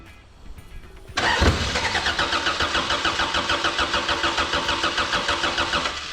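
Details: Corona race car with newly swapped Toyota 3S engine, cranked with some throttle: starter churns about three and a half pulses a second for five seconds, never fires. Something left unplugged suspected.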